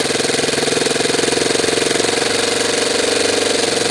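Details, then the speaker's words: Saito 90 twin glow engine after the low-speed needle was adjusted, idling with the glow driver disconnected. Crisp, even buzz at a steady pitch with a smooth, unbroken firing rhythm, running cleanly. "how's that for an idle now I think we're doing pretty good"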